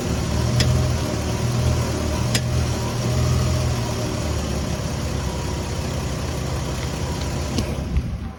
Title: Lexus is300 popping noise when turning wheel